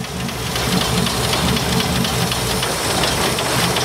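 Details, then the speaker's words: 1972 Ford F100, unrun over 10 years, first start: loud, uneven V8 idle with a lumpy, stumbling beat and hissy clatter; running rough off fuel in the carb. "It's idling. I mean, it's idling rough, but it's idling."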